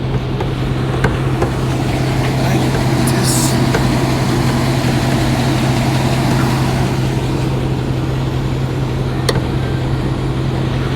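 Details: Petrol engine idling with misfire: low drone, faint uneven ticking and roughness; dealership replacing camshaft, a lifter and other parts.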